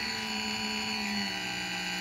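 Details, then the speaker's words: 3D-printed BLDC motor, first run at 20 V, no FOC control, driver transistors smoking: harsh steady high whine with a buzzing edge, like a dentist drill; loud motor whine, cause suspected, not confirmed. "of course i don't incorporate any of that that's some fancy programming i think sounds like a dentist drill"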